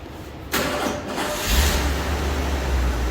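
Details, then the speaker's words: 1986 Ford F150 first startup after cooling-system work, with fluids topped off before leak checks. A brief crank, then it catches cleanly and settles into an even, steady idle with no knocks or stumbles, like a well-oiled machine: healthy start. "There's the initial startup. She's all Topped off with fluids. Look at that, like a well-oiled machine, huh?"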